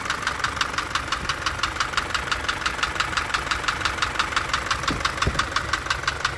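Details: Light Isuzu truck diesel engine at idle: sharp, even ticking about three per second over a steady idle. Exact source unconfirmed; a worn camshaft lobe striking the followers or tappets is suggested.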